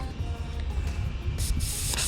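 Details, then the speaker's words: Mercury Verado outboard on a triple-engine boat, a crank no-start; the tank gauge read a quarter, but that was reserve and the engine had run out of fuel. Under a low rumble, sharp sputtering hisses in bursts as trapped air and a little fuel spit from the fuel rail. "let's see if we can even get any fuel out of this thing oh listen to all that air so he ran out of fuel"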